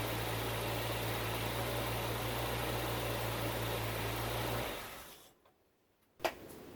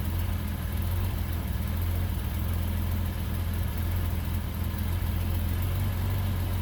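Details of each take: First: Bitter SC (SC 377), Bosch L-Jetronic fuel injection, after fixing a faulty temperature-sensor wire and fitting a new injection harness. Smooth, even low idle with no misses or knocks for several seconds, then switched off: it runs properly. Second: Bitter SC (SC 377), Bosch L-Jetronic, with the coolant temperature sensor plug pulled (infinite resistance) as a test. Steady but slightly uneven low idle with a lumpy beat: rough running.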